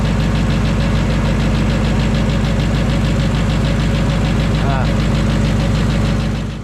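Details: Coyote-swapped, Whipple-supercharged 900 hp Fox body notchback Mustang V8, cold start: steady, even idle with a deep lope and no knock or rattle standing out; healthy at idle.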